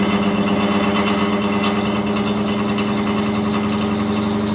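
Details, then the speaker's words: Cellar King bar chiller condenser fan, installed about 4 years and running 24/7, switched on: a loud, rough roar and steady drone that never settles, with the unit shaking hard. The fan motor bearings are worn out, one possibly missing. "switch her on and listen to how bad this thing sounds this has got shot bearings galore"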